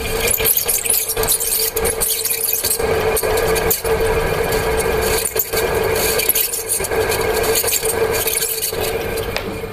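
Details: Ceiling fan with a sound problem: a steady high squeal near 500 Hz with scraping rub over the fan's hum, from worn, dry bearings; the fix is greasing or replacing the bearing.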